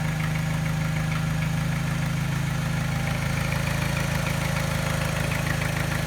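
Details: Engine at idle after timing chain, tensioner and piston rings replaced (timing rechecked): soft, even tap about three times a second, gone above 1200 rpm, with slight scanner-undetected miss causing vibration; revs sometimes hunt and cut out; cause unknown.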